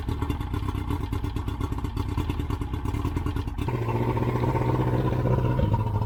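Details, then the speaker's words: Yamaha 115 outboard that was bogging on throttle-up, after a blown head gasket replacement, test run on muffs/ears: quick, even patter, then settles into a smoother steady note; running good. "All right, that is how you fix a blown head gasket on your outboard engine. Yamaha 115, running good."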